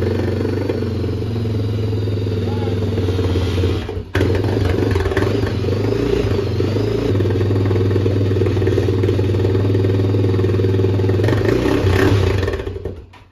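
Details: Honda 400EX single-cylinder ATV, bone-cold start with choke after carburetor cleaning and taking up throttle cable slack: steady thump at idle, dips briefly around four seconds, recovers and runs until shutdown; engine running.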